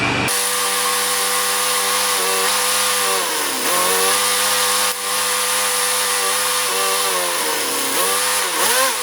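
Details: Craftsman mower with Kohler engine of about 6 hp, after cleaning the carburetor and draining some fuel from it: steady even buzz with a couple of brief speed dips, then it recovers; runs normally, though it still needs a filter.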